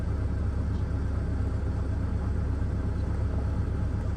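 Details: 2005 Mercedes CL600 V12: low rumbling idle with an uneven, lumpy beat about twice a second, misfiring. Fault codes persist after fitting a supposedly new voltage regulator/transformer; cause still unknown.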